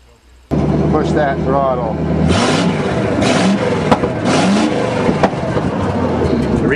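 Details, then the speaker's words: 1963 Allis-Chalmers front-end loader with 1978 Monte Carlo 305 V8, after sitting years, gas-can fuel: catches then runs lumpy, revs surging and sagging as throttle is pushed; still a bit cold, rough cold running. "Oops, still a bit cold. Not a problem. Smells like a big block."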